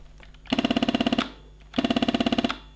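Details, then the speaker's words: Heated Beautural handheld garment steamer with the trigger pulled makes loud fast machine-gun rattling bursts while no water or steam comes out; the pump is not pumping water through. "it makes a weird noise. And it's warm, but nothing's actually coming out. I think it's a problem with the pump. It's not pumping the water through to produce the steam."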